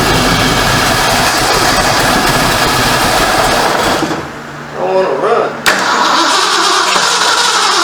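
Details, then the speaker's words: 1973 Ford Mustang Mach 1 V8, running again after months off and almost out of gas: steady, even exhaust note that briefly sags and recovers, with no puffing or ticking; the earlier major exhaust leak is gone and the exhaust is quiet. "sounds good though no more exhaust leak that's one thing I don't know if you guys can hear it but it's exhaust system is quiet before it had a major example"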